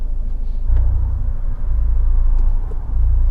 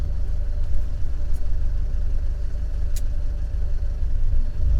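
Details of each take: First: Fiat 124 Spider 1.4L MultiAir turbo, cylinder 3 and 4 coil packs swapped: low idle rumble with small uneven dips, rough idle, persistent cylinder 4 misfire at idle though none logged at that moment. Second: Fiat 124 Spider 1.4L MultiAir turbo with recurring cylinder 4 misfire at idle, restarted after stalling: low even rumble with steady beat, no skips, idling smoothly for now at the shop during data logging.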